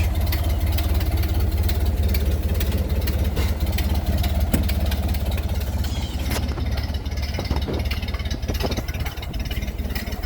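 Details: Ford Model A with a newly installed engine, about 9,000 miles, at idle: a low, even idle with a light tick about twice a second. The owner suspects an exhaust leak at the manifold rather than a rod bearing; unconfirmed.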